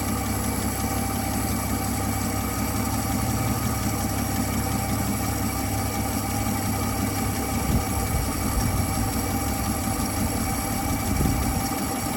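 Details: 1959 Dodge Coronet V8 idling after fixing a sticking carburetor needle valve that had starved it of fuel: steady, even low rumble for a dozen seconds with no misses or knocks; idles smoothly.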